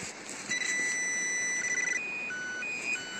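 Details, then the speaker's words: Garrett AT Pro metal detector in Mill Park, Milwaukie, Oregon: short clean high beeps stepping between two or three pitches over quiet outdoor background as the batteries go dead; low battery warning. "It's like a oh, my batteries are going dead. You guys hear that"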